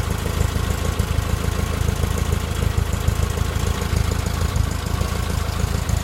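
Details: VW Type 4 air-cooled flat-four at warm idle: an uneven, random knock in the low putter, only when warm and gone above idle; solved by replacing the cam thrust bearing.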